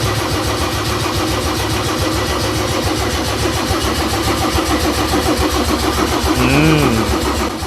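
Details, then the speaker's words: Mercedes OM606 diesel fitted with Ofgear pump control, start attempt in cool weather: steady starter churn about 3.5 beats a second that never catches; fuel still being primed, slowly drawing through. "Kütsi üles pumpama võtta päris kaua, jah? Siit hakkas tõmbama igal juhul juba."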